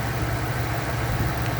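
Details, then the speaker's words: 1999 Ford F-250 Super Duty V10 at 268,788 miles, idling after a blown #10 spark plug and a full plug change to Bosch Platinum +2 4304. A low, smooth, even rumble with no lifter tap, ticking or misfire. "Well, she's purring like a kitten, running smooth,"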